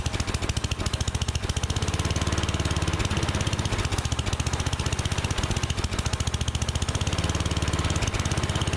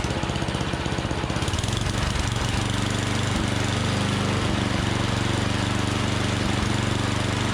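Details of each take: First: Unmaintained Troy-Bilt Storm 7524 snowblower that wouldn't run on gas: single-cylinder engine putters unevenly at low idle, only running on starting fluid; fuel delivery fault, carburetor to be cleaned. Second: Troy-Bilt Storm 7524 24-inch snowblower, never maintained, previously wouldn't start; after tune-up, electric starter cranks briefly, then the small single settles into an even, steady running beat with no misses or knocks; normal starting and running.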